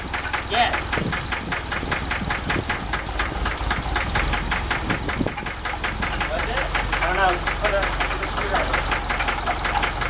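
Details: Idling engine with a loose, uneven knocking under the running note; lifters or rod suspected, the fourth one sounds off; cause unconfirmed.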